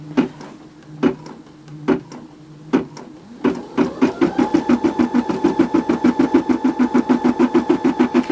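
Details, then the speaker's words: Brother SE625 embroidery machine stitching at increased speed; a few slow single stitches, then an even stitching beat of about three per second over a steady motor hum. The noise is normal, though the track may need a little oil. "And the noise that you hear the machine making is completely normal."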